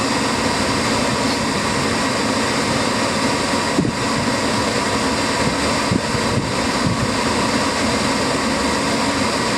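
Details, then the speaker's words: Gas furnace firing on a heat call with the thermostat jumped out and the draft motor running, after wiring was restored and a popped rollout switch was found; steady, even burner and blower roar with no flutter or cut-out; normal burner operation. "We just fire it up. It's fired up."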